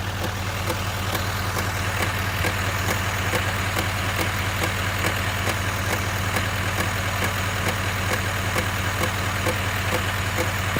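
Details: 2019 Silverado 2500 HD L5P diesel at idle: steady drone with a loud, regular clicking/tapping from the front of the engine; cause unknown, owner seeking ideas before a dealer visit.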